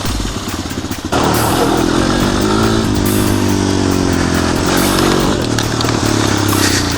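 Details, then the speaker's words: 250EX quad revived after sitting 10 years, tune-up and fluids done, helmet-cam riding: single-cylinder engine pulls cleanly and evenly with wind noise; runs awesome, healthy. "it really runs awesome I was just scooting around the yard at wheelies really easy"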